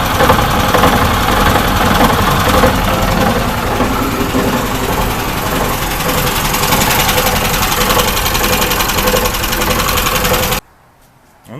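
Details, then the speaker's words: Engine idling in gear on the brakes in 5th after a driveline conversion (CV joint replaced by a U-joint): loose knock about twice a second amid mechanical clatter, rising with revs; source unclear, propshaft between engine and gearbox suspected, U-joints show no play. "будто бы есть здесь стучит и здесь и задние крестовине короче откуда звук вообще непонятно где"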